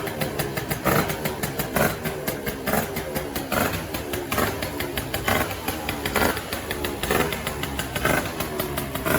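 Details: Gilera Runner 180 two-stroke scooter, starting after the CDI was replaced with a Malossi Forcemaster 2 for ignition and relay faults: it catches and settles into a steady, even idle with a crisp, regular pulse.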